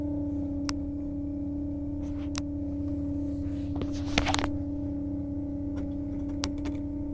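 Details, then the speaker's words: 2006 BMW X5 E53 original fuel pump activated from inside the vehicle; the engine had cut off while driving and would not restart: steady, clear mid-pitch whine with a few clicks; owner suspects the pump is failing. "i'm gonna activate if you can see that activate the fuel pump and let's hear what it sounds like"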